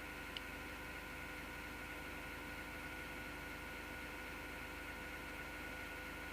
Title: PC Grinding Noise Part 2